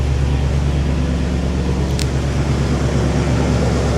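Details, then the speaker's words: Ford F250 with the 6.2 V8, 102,458 miles, salvage title: a steady, even idle hum with no knocks or squeals, AC compressor running and alternator charging; normal idle. "Yep, compressor's running, AC's working. Alternator's charging, I can hear it running."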